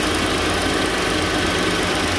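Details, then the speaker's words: First-gen Ford Edge with newly replaced electric cooling fan assembly (overheated when parked, A/C warm at idle), fans running: even steady rush of air, no rattle or rubbing; cooling fans spinning properly. "you can hear them now see them hear the fans going yeah that's the fans"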